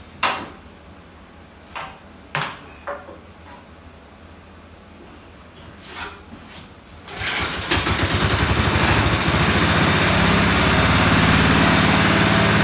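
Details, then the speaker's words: 1969 Locke single unit reel mower engine, long stored in a barn, after carburetor work: a few clicks and pulls, then catches into a fast, fairly even putter holding steady; runs but still needs carburetor fine tuning, slightly rough. "after messing with the carburetor i got it running pretty good not 100 gotta fine tune it a little more"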